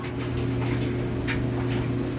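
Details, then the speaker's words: 2009 NTI Trinity Ti100 gas boiler after pressure switch/sensor replacement, system at 14 psi, zone calling for heat: steady even hum, low drone and light burner rush, no rattles; blue flame stays lit, normal boiler operation. "burners on and we have a blue flame and the blue flame is staying lit"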